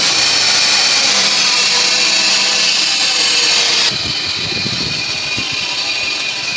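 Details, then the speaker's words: Chevrolet Impala engine at idle: high steady scraping whir from one of the belt pulleys, constant at idle. "vamos a checar que el carro está haciendo ruido y se escucha que es de aquí de de una de las poleas"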